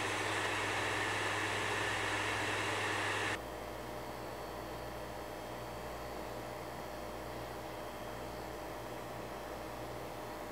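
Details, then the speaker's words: PS5 Slim console, a normal unit for comparison: smooth, steady, airy fan hiss at two levels with no buzzing, grinding or rattle. Normal fan noise. "but just so you know what a normal PS5 slim should sound like here's a few clips that show the average amount of noise to expect from the console"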